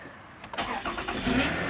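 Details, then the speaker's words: 2007 Toyota Camry V6 cold start at 27°F. Short crank with a metallic whirr lingering as the engine catches; owner expects the starter pinion gear to stick. "I don't know if you can hear that I'll wait for the car to pass and I think the pinion gear is gonna stick"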